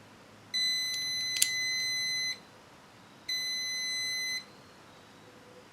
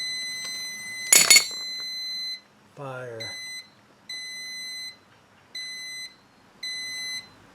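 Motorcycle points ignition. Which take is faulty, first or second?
first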